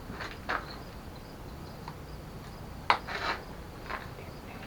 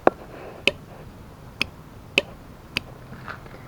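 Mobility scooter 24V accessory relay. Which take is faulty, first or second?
second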